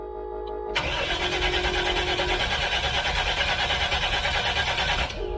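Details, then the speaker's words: Freshly rebuilt 454 Big Block Vortec Chevrolet, first start prep with the fuel pump unhooked: cranked in five-second bursts while watching the mechanical oil pressure gauge to reach 50 psi. An even starter chug of about three beats a second that doesn't catch; normal cranking. "i'll crank it over in five second bursts and you do the five seconds to not overheat the starter so it's crank crank crank crank for five seconds watching our mechanical oil pressure gauge"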